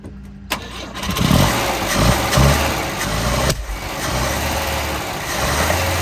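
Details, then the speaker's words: 1971 Volvo 142, B20B engine, after the carburettor mixture screw was reset from six to two turns out: it cranks and catches, then runs an uneven, hunting idle. Owner thinks it is still very lean and the carb may be mis-jetted. "uh it seems like it's lean still like really lean carburetor might not be jetted right"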